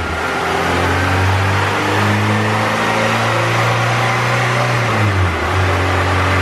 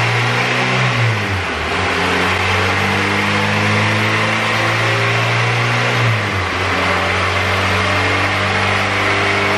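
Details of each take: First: EK coupe Honda B18C GSR, rods and pistons, eBay turbo on log manifold, 1000cc injectors, stock GSR cams, on dyno at about 6.5 psi to 7,000 rpm, running rich: pulls hard, pitch rising smoothly through VTEC without stumble, then drops off. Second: Turbo Honda B18C GSR on dyno rollers under boost: revs rise then suddenly drop and re-climb, stuttering badly; owner suspects VTEC or oil pressure issue, fuel and ignition timing changes didn't cure it.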